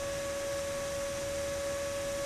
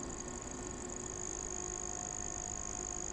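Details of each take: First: Magnavox ZV427MG9A DVD/VCR combo with replacement ball-bearing cooling fan: loud, steady high-pitched whine; the new fan spins far too fast for its rated spec and is much louder than the original fan. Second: Original sleeve-bearing cooling fan from Magnavox ZV427MG9 DVD/VCR on the bench, microphone half an inch from the rotor on the intake side, drawing 79 mA: quiet even whir with soft hum; normal running.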